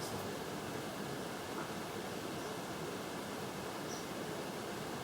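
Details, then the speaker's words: Casablanca Delta brass ceiling fan with noisy bearings, running at medium speed: a loud, even rushing hiss with a faint high-pitched tone underneath; bearing noise suspected. "moving on to medium speed now probably here it's really noisy"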